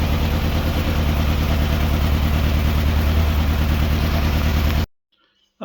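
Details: Morris Minor Traveller that developed a misfire on a long road trip: idle turned right up since it would cut out at low idle, about three pulses a second with an uneven chuff. One cylinder is misfiring.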